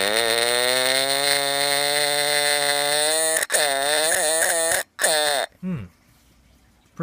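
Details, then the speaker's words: Sears "Early One" fire detector test with a non-alkaline 9-volt battery (needs 9V alkaline): horn gives a wavering, sagging fart-like burp instead of a sharp shriek, then stutters out; battery too weak to drive it. "It sounds like a fart or something like that. That's a fail, but at least it doesn't work."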